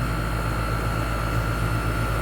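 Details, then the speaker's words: 1998 4-ton 10 SEER R-22 condensing unit, after replacing a blown dual-run capacitor for a fan not starting; compressor kicks on, low side about 76-77 psi and rising; steady hum and fan drone; normal running. "Okay, so right off the bat I can hear a compressor kick on. No, that's not the correct top for that. Yeah, you can hear that compressor. It's loading up right now with refrigerant."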